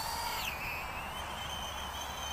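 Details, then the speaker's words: Full Speed Bat-100 1S brushless mini quadcopter with updated motors, flying: sharp high shriek sweeping upward then settling with throttle, louder vibration noise than the original motors; tiny brushless motors squealing, though more powerful. "the vibration noise has God definitely louder though with those squealing Moses it's almost like a shriek like I say I have seen that before with these super tiny brushless motors"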